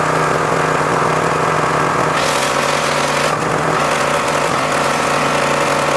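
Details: John Deere X540 mower that came in crank-no-start with no spark, idle about a year; both coils found dead, failed module swapped. Steady, even engine drone, no misses or knocks over six seconds: normal running after repair.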